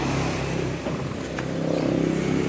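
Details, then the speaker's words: Yamaha F1ZR motorcycle electric starter, working again after a missing ground was fixed: starter whirs with a rough uneven hum but the engine doesn't catch right away; suspected one-way starter clutch or starter bearing, not confirmed. "Nah, tetapi kenapa selalu tidak langsung nyamber gitu, tidak langsung bunyi."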